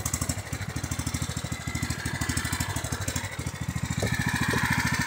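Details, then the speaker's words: Small engine on a riding tractor with faulty carburetor: chugs unevenly, loping and sputtering as if about to die with fuel on; runs smooth with fuel shut off, pointing to an over-rich, flooding carburetor needing replacement. "So hear how it's sputtering? I shut the fuel off, it doesn't do that. Now you can hear it running smooth, but when I turn the fuel back on, it'll run terrible again."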